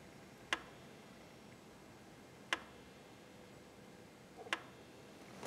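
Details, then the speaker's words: Audi A4 Avant with a boost problem; the N75 boost control valve, switched on during diagnosis, clicks distinctly every two seconds, so it works properly. The turbo is to be removed to check its geometry. "как слышите этот отчётливо щелкает то есть он исправил"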